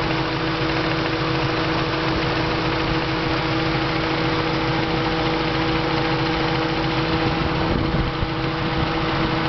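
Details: Supercharged engine at idle, Nov 2010: steady idle with even, fairly loud knock under the engine note; worst after hard driving, sometimes softer or louder, usually fades after a while and mostly absent; cause not yet found.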